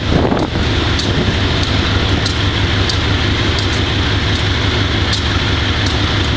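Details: Wimpy MTL B30-7 diesel locomotive: a heavy drone with faint, uneven sharp ticks about every half second, partly masked by wind, consistent with misfiring on bad injectors. The air intake and some injectors were changed and the valves checked.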